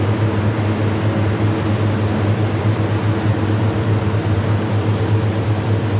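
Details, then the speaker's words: Condensing unit being troubleshot for noise, running: an even, steady compressor hum with smooth fan rush and no knocking or rattling. Normal operation. "Ayon ah mga kaibigan ah bale umandar na itong compressor na to condensing unit inandar na namin"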